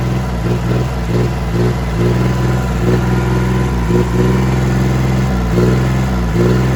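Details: Diesel engine after knocking-sound repair, warm: a steady low thrum with even firing and no knock on top. Runs smoothly.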